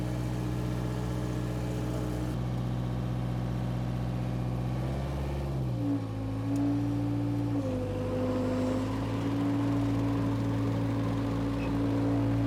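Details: Power Trac 1850 diesel tractor after all fluids were changed. Steady diesel drone dips and settles smoothly as the mower loads it, with no knocks or misses. Normal running under load, tractor and mower running great.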